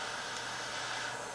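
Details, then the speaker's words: Sievert propane jewellery torch with air holes uncovered: loud steady hiss with no sputter or flutter, a hot flame; covering the holes restricts air for a softer, bushy flame. Normal torch hiss. "you can actually hear the difference that hissing is quite a hot hot heat and if I put my fingers over the holes I restrict the amount of oxygen or the amount of air coming down"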